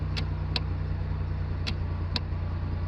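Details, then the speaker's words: 2009 Chevrolet Impala after replacing the bad shift interlock solenoid: touching the brake pedal gives four crisp clicks over a low hum as the new solenoid energizes normally. "as i touch the brake pedal you can hear the solenoid energizing"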